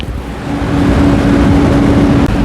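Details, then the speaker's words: White PC case with a 360mm liquid cooler mounted vertically at the front and the former front fans moved to the top: loud, steady rushing whoosh with low droning hum from radiator fans spinning too fast; the build is correct, and the fix is fan-speed settings. "그래서 현지 소음이 현재 소음이 굉장히 어 시끄럽고 여 만약에 집에서 쓴 다음에 굉장히 클 겁니다"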